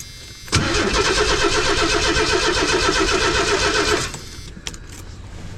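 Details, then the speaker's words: 1990 Ford Econoline van, parked, some fuel pressure at rail: about 3.5 seconds of steady starter cranking, roughly four turns per second, never catching; cranks but won't start, owner suspects in-tank fuel pump or stuck injectors. "so either I really do need to replace that one in the tank or the injectors are stuck could be so I'm going to mess with it a little bit more"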